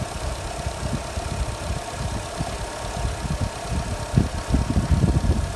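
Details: Jeep Renegade with check engine message, started while measuring battery voltage (must not drop below 10 V during cranking); catches and settles into a low, fairly even idle thrum with no knocking or stumbling.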